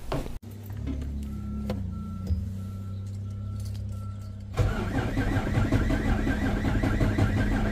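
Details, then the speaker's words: Freightliner Cascadia DD13 diesel starts, then idles with a harsh, uneven clatter that surges and shakes, caused by a failed fuel rail high-pressure sensor upsetting fueling. "Today we're going to be talking about a D3 engine with fuel problems. Uh well, I mean you can hear the sound in this D3 engine is making."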